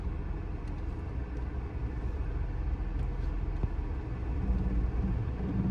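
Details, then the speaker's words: Car with clutch released while the other foot stays on the brake: deep uneven rumble with a low labored pulse, the engine bogging under load about to stall. Engine lugging near stall. "देखो गाड़ी में अजीब सी आवाज आ रही है, right. तो इस time पे हो जाती है बंद।"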